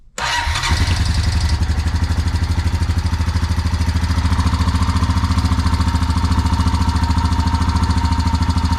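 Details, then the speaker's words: 2004 Honda Rancher 350 ATV after carburetor replacement: the single-cylinder engine starts and idles evenly with a light, steady ticking on top, loose valve clearance that calls for a valve adjustment. "i'm gonna probably end up adjusting the valves on this thing because you could hear it ticking"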